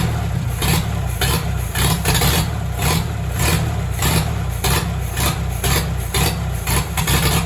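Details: 1944 Farmall tractor, parked for years and being revived, with a cleaned carburetor bowl and broken governor and choke linkage: deep, steady low chug with pulses swelling and easing as the throttle is worked by hand; the engine runs.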